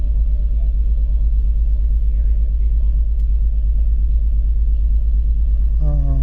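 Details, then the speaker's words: 2004 BMW X3 3.0 at idle with codes P0301 and DME cylinder 1 misfire: heavy, deep idle with a lumpy repeating stumble about twice a second; cylinder 1 misfire. "they said I had a misfire so I cycle this off cyle back on see if it misfires it feels like it's misfiring"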